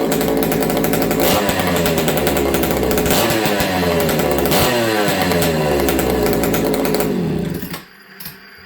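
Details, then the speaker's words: Buckin's ported XL 922 Super chainsaw, an old saw: crisp, even two-stroke howl that pulls strongly under throttle with no misfire or bogging, then cuts off cleanly; runs sweet with no trouble, normal running. "This 922 runs sweet. I may fall a few small tree jobs with it, but I'm probably just going to mail it to Buckin."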